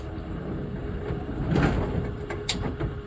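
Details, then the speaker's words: GSX bowling pinsetter on lane six after replacing the sweep wagon shock that made the sweep drop too fast and bang. With motor on and sweep enabled it moves softly with light thuds, no clank or squeak. Normal sweep operation. "We're in motor on. We're on sweep enable, no clank, and no squeak. That's beautiful."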